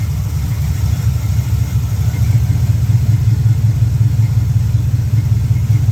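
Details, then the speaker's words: 1972 Pontiac LeMans, carbureted, cold day with electric choke, after turning up the idle screw: deep steady rumble at an even idle with no stumbling or hunting; normal idle. "so I'm adjusting the idle screw right [Music] here that sounds a lot better"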